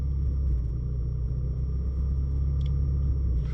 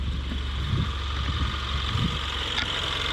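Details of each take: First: Ford Mustang EcoBoost held near 1000 rpm: a heavy, uneven rumble with the idle sagging and wanting to stall. The low-rpm misfire began in cold weather, cylinder 1 is worst, and the Accel aftermarket plugs are believed to be the cause. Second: Ford Mustang EcoBoost after swapping Accel plugs for factory plugs: smooth, even idle, steady low hum, no stumble, revs rise cleanly, exhaust quieter; normal idle, Accel plugs believed the misfire cause.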